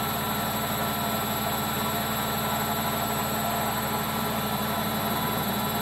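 Constant loud rushing roar with a steady hum through the spin, no let-up, pointing toward worn drum bearings.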